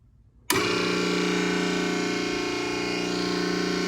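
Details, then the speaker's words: Nugier Co. 100-ton hydraulic press, first start-up after hydraulic lines hooked up and wired: motor kicks on and settles into a steady, even hum with fixed tone, no knocking or grinding; not loud, normal pump start-up. "That's not bad. There we go."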